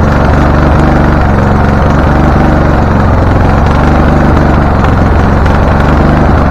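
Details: Husqvarna LTH 1438 riding mower, 13.5 engine, reported to backfire through carb and exhaust, first start, choke not closed: loud, uneven chugging with a stumbling beat; rough running. Shop suspected a loose cam gear changing timing, unconfirmed.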